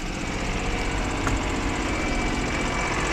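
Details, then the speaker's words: Car that had been sneezing/misfiring, started after standing a day in the rain: cold idle with an uneven, chattering beat that wavers slightly but keeps running, judged more or less acceptable; slightly rough idle. "Тарахтит, слышно как? Ну, более-менее приемлемо."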